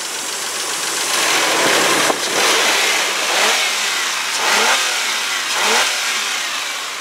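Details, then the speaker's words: Low-mileage 1997 Isuzu Rodeo six-cylinder with a rotted frame: even, smooth engine note rising and falling with a few light revs, no knocks or ticks. Normal running. "yep that is exactly what a low mileage isuzu six cylinder should sound like"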